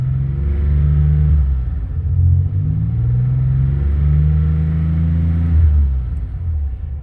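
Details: Maserati 222 SE Biturbo, bought as a cheap project: deep, smooth exhaust rumble climbing steadily in pitch as the throttle opens, no knocks or misses; engine pulls cleanly and sounds healthy.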